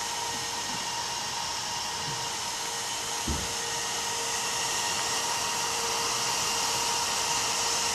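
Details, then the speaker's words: AMD FX-8350 CPU with AMD stock cooler while gaming FarCry 3 at ultra settings: loud constant airy whoosh with faint steady hum, no ticking or grinding; stock fan spinning fast, loud but working normally. "Alright, what we have here is the AMD FX-8350 running with the stock cooler. This is what it sounds like running FarCry 3 at ultra settings."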